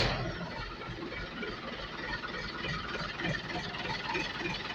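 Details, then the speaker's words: Hino 235 JW six-speed diesel truck idling after aftermarket KW clutch disc fitted: rough, uneven growl under the engine note; aftermarket clutch suspected, to be replaced with original clutch. "iya ternyata ngorok suaranya memang Arok tak jelas jadinya harus kita bongkar lagi nih Ada kemungkinan dari kopling KW kemarin yang suka pasang jadi seperti ini suaranya"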